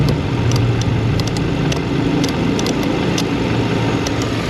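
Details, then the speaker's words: Kia with no AC, engine idling: sharp, irregular relay clicks as the relay is pulled and reinserted, but the AC compressor clutch does not engage. "I can feel it clicking and hear it clicking, but nothing's happening down at the compressorial device."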